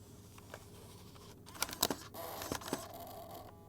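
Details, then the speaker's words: 2003 Acer Ferrari laptop optical drive reading a Half-Life CD: quiet whir with clicks and a short strained burst of spin noise; the drive labors but reads the disc successfully. "Oh, it sounds so painful. It took it. It worked."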